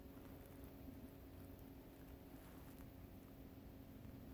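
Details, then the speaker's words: 1987 Fleetwood Bounder 31ft Class A motorhome, sat two years with gas drained: key on, engine off, faint steady electric whirr as the fuel pump turns on and picks up liquid, normal priming. "so this should turn the pump on yep I hear it just picked up liquid"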